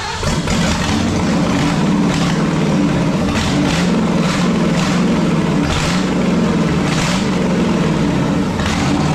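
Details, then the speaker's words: 1965 Ford 289 4-barrel V8 (225 hp) on an engine stand for a 1955 Ford pickup, first run with no exhaust or mufflers: loud V8 that surges and hunts and never settles; a big vacuum leak is keeping it from idling. "okay she runs it's noisy without any exhaust or Mufflers on it but I love the sound of that that is so cool um it's not idling yet we've got a big old vacuum leak back here that we've got a plug and we need to get a radiator and exhaust and everything else on it too"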